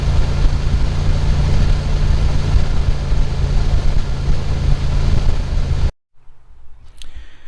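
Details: Dodge Ram after fan clutch replacement (no shaft play, belts good): engine catches and settles into a steady, even low rumble with no rattle or wobble from the fan, sounding healthy, then cuts off; normal idle.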